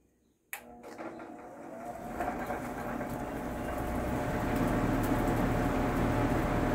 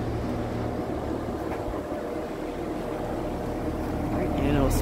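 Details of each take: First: Vintage Sears Homart Cooler belt-drive window fan, 1/6 HP Craftsman motor, started on high before cleaning: switch click, then rough hum and whir building over seconds with faint steady rhythm; owner thinks motor could use lubrication and belt probably needs replacing. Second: Vintage Sears Homart belt-drive window fan, 1/6 HP Craftsman motor, belt likely needing replacement, on high: even low drone with soft airy whoosh from the blades, no squeal or rattle; runs steadily.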